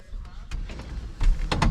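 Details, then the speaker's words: Steering column: dull, irregular clunks with a gritty rub as the wheel turns; steering is harder. Owners suspect a failing bearing in the column near the wheel, not the coupler they took apart. Cause suspected, not confirmed. "No, it's in this column. Oh, what the hell? There's a bearing closer to the wheel that I think is taking a shit."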